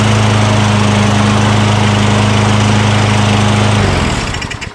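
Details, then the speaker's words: Craftsman 6.75 Tecumseh single-cylinder lawn mower with powerful rear-wheel self-propulsion, curbside trash find, running after priming intake with spray degreaser during oil sludge drain repair; smooth even beat for about four seconds, then winds down and stops, normal running. "all right how about that huh from the curve to running and by the way this real rear self propulsion is very powerful i mean it really wants to take off on you"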